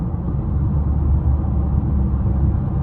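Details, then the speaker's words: 2014 Chevrolet Impala at about 60 mph after new tires were fitted: steady low road rumble with no rhythmic vibration or wobble; the earlier noise seems gone and the tyres sound smooth. "I think that might have solved our problem, y'all. Cause I'm definitely not hearing it, and I'm going what? 60."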